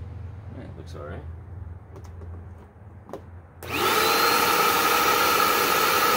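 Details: Dirt Devil Endura Max UD70175 vacuum with a filter that needed cleaning. It spins up to a steady, strained high whine with no change in pitch; the hose was clogged by a stuck fake tree branch.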